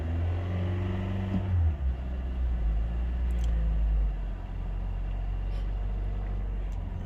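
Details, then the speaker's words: 2019 Toyota Camry that wouldn't start, after fix: engine starts and idles with a deep, even rumble, no misses or stumbles; normal idle. "there you go guys there you go the car started the car started as you guys can see you can hear that engine going"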